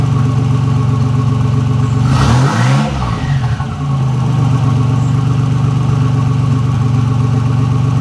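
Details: 1985 Nissan 300ZX Turbo (Z31), formerly misfiring under boost, now fitted with new plugs and wires and a torn charge-pipe hose replaced, on a drive: loud exhaust pulls cleanly through a rev rise and gear change with no stumble, boost building properly.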